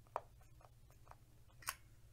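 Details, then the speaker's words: Schlage BE365 electronic keypad deadbolt with beeping turned off: soft button taps and one sharper click as the lock engages and disengages, no beeps; operating normally. "Now it's silent and we've locked the door, and then 4, 3, 2, 1 unlocks the door. All that you're going to hear is the lock engage and disengage."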